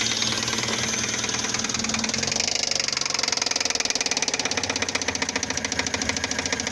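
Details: 2005 Fiat Palio Fire 1.0 8v after timing belt, tensioner, oil and spark plug change: sharp metallic knocking in time with idle over engine clatter, mimicking a rod knock; spark plug electrode fell into the cylinder head.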